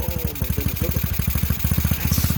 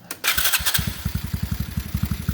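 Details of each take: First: TaoTao GK110 go-kart, 4-cycle single, first start after fitting replacement carburetor, choke on: quick busy popping well above a lazy idle; carburetor idle set too high, about to be turned down. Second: TaoTao GK110 go-kart, 4-cycle, restarted after new carburetor and air filter base fitted, checking idle adjustment: short crank, clean catch, steady thump about eleven beats a second, no hunting; clean, even idle.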